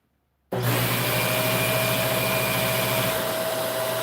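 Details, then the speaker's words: Upright vacuum with motorized brush head. Steady motor roar; about three seconds in the brush hum stops while the motor runs, as the upright-position micro switch cuts power to the brush and its green light goes off. Normal cut-off. "Now, the reason for that is that this little micro switch right here, when you when you put it in the upright position, it trips the micro switch."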